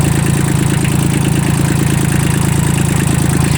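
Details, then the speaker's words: Kubota L1802 18 hp three-cylinder diesel mini tractor, recorded with the hood open; a steady, even clatter at about three firing pulses per second with no knocks or misses, a dry engine with no leaks idling smoothly. "сухо, нигде ничего не бежит, не течет. Двигатель работает ровно."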